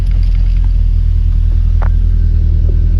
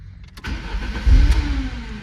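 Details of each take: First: 1993 Lancia Delta HF Integrale after fuel pump replacement fixed a no-start: deep steady idle rumble, settled without stumbling or dying; normal idle with fuel delivery restored. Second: 1993 Lancia Delta HF Integrale cranking: tries to fire with a few uneven pops but never catches; no fuel pump sound heard from the rear at key-on, fuel system suspected. Crank no start, likely fuel starvation.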